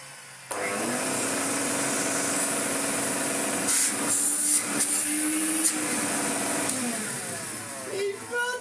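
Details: Hoover 427 cylinder vacuum (July 1977), stored for years, first power-up: sudden start into a steady high motor whine that holds its pitch, then winds down; the vacuum motor runs normally, though the switch tabs are broken.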